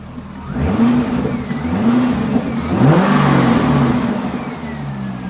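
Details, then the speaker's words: Chevrolet Corvette with a P0300 cylinder misfire; relative compression was checked earlier. Revved with an ignition scope attached (firing line about 16.6 kV): an uneven, stumbling exhaust beat and a bad secondary waveform, possibly from not enough fuel. Misfire under revs. "Interesting. I don't like this ignition waveform. This doesn't look good. So, let's um now this could be caused by not enough fuel getting in the cylinder."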